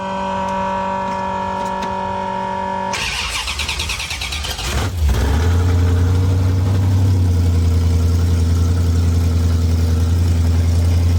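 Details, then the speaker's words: 1973 Dodge Dart with rebuilt 360 V8 swap, first drive after priming fuel and retiming distributor, in park: cranks, catches about three seconds in, then loud, deep, even V8 rumble settling into steady idle; running fine, minor coolant leak. "all right so it seems to be running good I'll drive it up another driveway we're not going to go too long cuz I'm sure the neighbors love [Music] this all right running great it's extremely loud"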